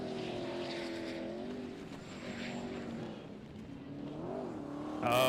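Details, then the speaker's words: Methanol sprint racing boat under load: engine note rises and falls with a faint high turbocharger whistle spooling clean; normal turbocharger whistle. "listen to the turbocharger love the whistle that's kind of cool because the boat's quiet enough you can hear it whistling clean"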